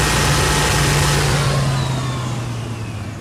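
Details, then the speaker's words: 1993 Chevy S10 pickup, 4.3L non-Vortec V6, new thermostatic fan clutch: heavy whooshing fan roar right after cold start, easing off over a few seconds; full-speed fan engagement when first started, normal clutch behavior. "and then the only other time you'll hear that heavy Roar which is the fan turning at full speed is when it's Gathering that there's a lot of heat coming from the radiator that's not getting expelled then it'll grab full speed on that uh shaft again"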